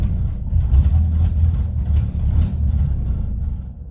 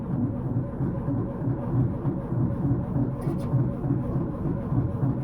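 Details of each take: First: 1931 Ford Model A Coupe, out of storage 4-5 years, first run after fresh oil, spark retarded, warming up: low, throaty rumble swelling and easing as revved, firing evenly without misses; runs great, normal running. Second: 1931 Ford Model A Coupe after 4–5 years storage, points filed, fresh gas and battery, spark confirmed: steady low churning about three beats a second with no firing; cranks without starting, carburettor looks flooded.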